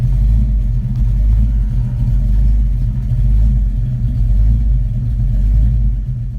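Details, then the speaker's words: Engine idling after O2 sensor fix that cured a power loss: smooth, even low rumble holding steady speed without stumbles or hunting; idles cleanly and seems happy. "that's it idling right there it seems happy"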